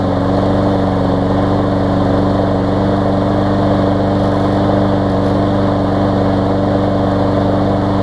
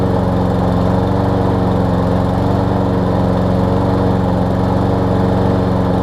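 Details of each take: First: Newer Lawn Boy mower that sometimes wouldn't start warm, after dirty carb cleaned, on test bed: steady, even drone without surging or stumbling, running much smoother; normal running. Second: Lawn Boy push mower, 20-inch deck, Briggs 675 engine, low on gas, sometimes won't restart warm: starts on first or second pull, steady single-cylinder drone with flat, thin note, running lean; dirty carburetor later cleaned.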